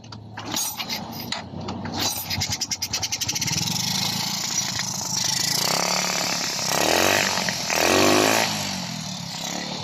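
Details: Honda XRM 125 with a hard-starting problem, after the carburetor was reinstalled and a new battery fitted, neutral light on: the starter whirs for a couple of seconds, then the engine catches, revs up cleanly a few times and keeps running, a good start.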